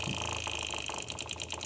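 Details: Diesel bike build: fuel shutoff solenoid with power wires tied into the fuel pump switch wire, sharp short clicks over faint steady electrical hum as solenoid snaps in normally when powered.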